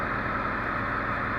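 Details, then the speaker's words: Honda Civic D16Z6 after fixing a high, surging idle without touching the IACV: a short, even, steady idle hum with no hunting or surging. The engine now idles properly. "well there you go guys pretty simple fix but if you didn't know that was there it would probably be a nightmare"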